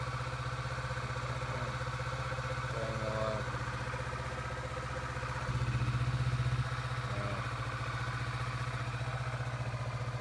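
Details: 2017 Kawasaki Vulcan 650S, which would not start after a botched ape hanger wiring extension, now runs; steady even idle with a regular low pulse and one brief throttle blip, no misses or knocks; normal idle.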